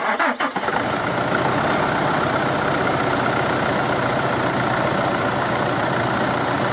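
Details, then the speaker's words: Nissan Pathfinder after MTC treatment, idling: steady, even idle with a smooth hum; the sharp noise previously heard right after a cold morning start is gone, engine markedly quieter. "Je tichší, že? No, Ako výrazne tichší. určite. Je tam veľký rozdiel."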